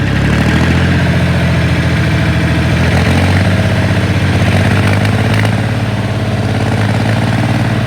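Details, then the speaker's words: Ford 3000 diesel tractor revving up from idle: at around 1600 rpm and up to 2000 rpm the rhythm turns ragged with occasional popping misses; intermittent misfire at higher revs, tight valves suggested, not yet checked. "there you go 1600 revs it'll start to miss for her"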